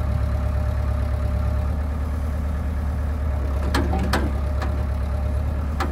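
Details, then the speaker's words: John Deere 490E excavator diesel with Hitachi hydraulic pump set to limp mode, computer bypassed, cable throttle to fuel pump: deep, even rumble at steady speed with light clicks; much slower but doesn't bog, running normally. "i mean with the with it in lint mode it's working fine it's definitely a lot slower but it doesn't bog out"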